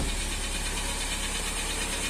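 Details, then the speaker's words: Chevrolet Astra that came in with lifters drained and the oil light on constantly, restarted after the repair procedure with a weak battery; light, quick top-end lifter ticking, less than before, as the lifters refill. "Aê, galera. Olha só. Tá batendo tucho ainda, mas não tá batendo bem menos."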